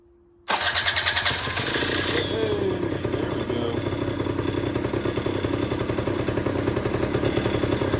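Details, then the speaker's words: 1991 Honda Cub EZ90 long stored in a barn, carb cleaned and refitted, first start: catches after a short crank and settles to a steady even buzz with a faint rattle, likely something loose; oil injection working, runs fine. "go all right that sounds pretty good and then you can see starting to see some oil come out in there"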